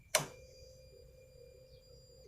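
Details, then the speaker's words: Honda CBR150 after fitting new 12 V 7 Ah battery, ignition on: click then steady mid-pitched hum about two seconds stopping cleanly; fuel pump priming normally. "เดี๋ยวผมจะมาสตาร์ทให้ดูกับให้คนฟังเสียงปั้มดูดน้ำมันนะครับปั๊มติ๊กครับ"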